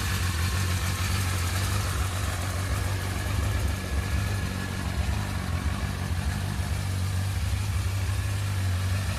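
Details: Brixton Felsberg 125 X at idle: a steady deep idle with a rough, uneven throb underneath and no clear knock pattern. Abnormal engine noise at idle, cause not evident.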